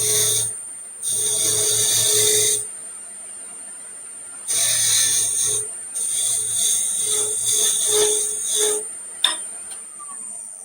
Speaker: you can hear the the sound getting lower and lower as it passes by as you get closer and closer to the to be around